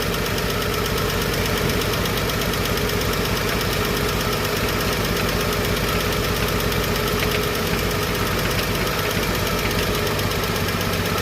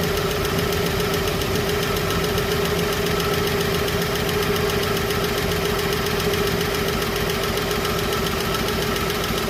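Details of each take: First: Chevrolet 235 Blue Flame six after lifter rebuild and valve lash adjustment: steady, even idle with constant rumble and no ticking or clacking from the valvetrain; smooth and healthy after repair. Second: Chevrolet 235 Blue Flame six, after a ticking lifter was cleaned and rebuilt and rockers refitted but not yet adjusted: light, fairly regular tick over idle at a few per second; unadjusted valve lash, with a slight misfire.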